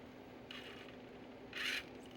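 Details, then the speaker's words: Sony MDS-E10 MiniDisc deck, bought used, at power-on with a disc loaded: two short dry scraping bursts as the mechanism tries to move, pointing to a bad, worn, slipping drive belt. "more importantly it sounds like we got a bad belt yeah sounds very broken"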